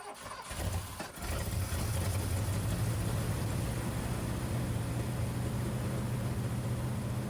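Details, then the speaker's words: 1979 Ford F150 V8 after a carburetor rebuild for overflowing, sticking floats: it cranks and catches into a slightly uneven, lumpy idle; owner suspects a misfire from coils not fully plugged on. "it's also weird it seems like I'm having a like ignition issue like a misfire I don't know if maybe one of these coils or couple of these coils aren't plugged fully on but I'll uh address one thing at a time"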